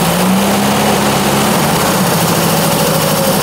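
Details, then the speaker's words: 1966 Triumph Spitfire 1147cc, rebuilt engine, starts readily but soon runs rough with wavering, stumbling note, as if gunked up; cause not found, new plugs next to try. "started out right and now it's now it's gunked up again that's interesting and now you can tell that it's running like crap now"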